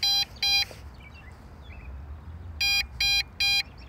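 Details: MJX Bugs 5W brushless GPS quadcopter, 7.4V 1800mAh LiPo; sharp high beeps in pairs and triplets, two or three a second, over quiet room noise: low-battery warning that starts at 50% battery.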